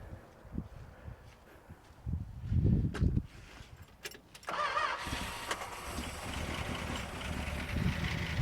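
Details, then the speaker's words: 1962 Dodge Custom 880 V8, after fixing miswired coil, bad distributor cap and points: cranking stumbles, catches near five seconds, settles into a steady, slightly lumpy idle; fired right up, not running badly, no problems seen. "as soon as that was fixed I literally turned the key and the car fired right up and it's not running crazy bad or a I don't really see any problems"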